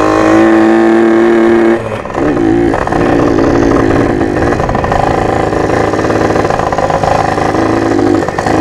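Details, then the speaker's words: Rebuilt junkyard Yamaha PW80 two-stroke with new carb kit and Boyesen reeds, riding under load: revs climb then sag and stumble, usable only in first and second; owner suspects fuel mixture or vacuum leak. "as you can tell from the video the thing bogged really bad like I didn't even you have I wasn't even able to use their gears only first and second"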